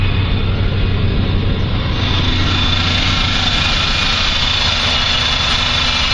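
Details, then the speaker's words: 1984 Chevy K20 3/4-ton, Rochester Quadrajet just swapped for a cleaned Edelbrock 1406 carburetor, unadjusted, distributor vacuum advance line plugged, first start: steady, even V8 idle with a smooth low rumble, no misses or knocks; normal idle. "that sounds really good"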